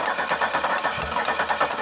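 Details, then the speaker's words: Firebird that sat about 20 years, injectors being tapped to free them: even starter cranking at about four beats per second with uneven puffs as the engine nearly fires but won't catch; it later started. "Oh, we're so close. We're so close."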